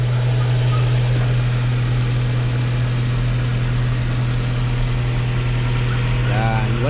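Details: Mazda 3 brought in for a boat-like engine noise, cold start: smooth, steady idle with a constant low drone and no knock or putter; normal idle.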